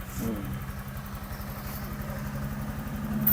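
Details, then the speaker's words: Honda Vario 125 fuel-injected scooter after valve clearance adjustment (valves were loose) and throttle valve reset to factory: smooth, even idle with soft injector ticking and no valve clatter; normal idle. "Oke Guys suaranya enak lagi guys halus engak engak kas banget ya gak kelk-klek suaranya kayak tadi guys"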